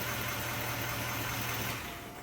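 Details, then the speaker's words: 2024 Duramax diesel truck: pressing the windshield washer button stalls the truck and turns on wipers; steady idle rumble cuts out abruptly and engine dies — melted wires in the underhood fuse block; unplugging the washer pump also kills it. "You press the windshield washer button and the truck stalls and the wipers come on."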